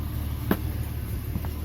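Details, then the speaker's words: 1997 Ford Explorer after fuel pump replacement (old pump silent at key-on, relay and fuse good): low steady idle hum with no misses, knocks or surges; new pump installed and engine running well. "That means fuel pump has been installed and all is working well."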